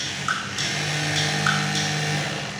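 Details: Sewing machine running normally with the pedal pressed: steady, even motor hum with a low drone and a couple of faint clicks; oiling is then done so it runs cooler and quieter.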